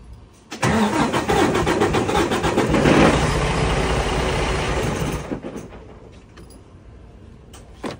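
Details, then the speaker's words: 2020 Freightliner Cascadia, DD13 diesel, about 954,000 miles, just had oil and fuel filter changes: heavy uneven lumpy chug at 3-4 beats a second while cranking, struggling and hesitating to start; relative compression test to follow, probably needs a valve adjustment. "if you guys kind of hear that little sputter that it has now we just did an oil change on it a fuel filter change"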